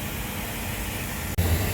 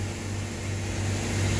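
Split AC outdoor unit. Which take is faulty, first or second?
second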